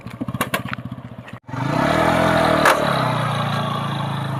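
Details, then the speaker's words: TVS Apache RTR 180 at about 56,000 km: quick rhythmic clatter around three beats a second, then revving under a gritty scraping from the worn front sprocket and slack chain set. "So guys कुछ तरह का sound आ रहा है कर कर करके basically जो अगली वाली जो स्पोकेहब करंट कंडीशन भी उसकी दिखाऊंगा जब हम इसको ओपन करेंगे"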